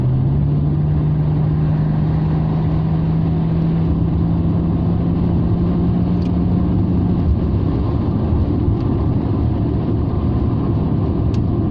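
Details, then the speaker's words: Rover 45 V6, freshly serviced and with noticeably better torque; under acceleration the engine growls strongly with a rising hum, steady under load, as the variable intake flaps change the intake runner length. Normal, healthy acceleration. "So I'm not sure which way round it works, but the engine does certainly growl a lot"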